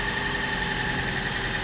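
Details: Car that would not crank because of a flat battery, now running: steady idle with an even hum and a faint high tone, no stumbling; runs normally.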